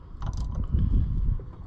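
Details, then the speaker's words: 1980 Harley-Davidson golf cart engine, oiled and with its belt tightened: a short burst of low clunking and ratcheting strain with no cranking rhythm; the engine still will not turn over and is likely stuck. "I also just tighten the belt up with the hopes that I could turn around and around but so far that ain't going"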